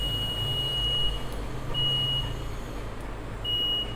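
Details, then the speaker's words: Multimeter set to diode mode, probes touched together to check leads and terminals: clean high-pitched beeps each contact over low background hum; normal continuity beep, terminals working. "So இப்போ நான் diode கொண்டு போனதுக்கப்புறம் இப்போ நான் 2 டெர்மினல்லையும் வந்து connect பண்ணால் எனக்கு வந்து ஒரு பீப் சவுண்ட் கேட்கும்."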